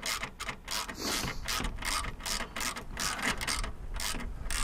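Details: Non-running Flymo L47 two-stroke lawnmower (25:1 mix), after refitting the pull cord assembly: repeated pulls bring rough ratcheting and clattering with no engine firing; owner suspects the recoil starter was reassembled wrong and isn't engaging cleanly.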